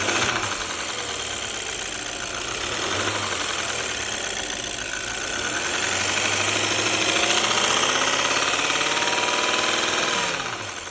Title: D8 engine ticking sound